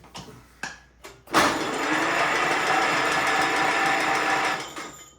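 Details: 1950s Allis Chalmers Model CA tractor, engine freed after being seized 20+ years from rusted cylinders: a few clicks, then the starter spins steadily about three seconds with a buzzy whirr turning the engine over, on a 6-volt battery.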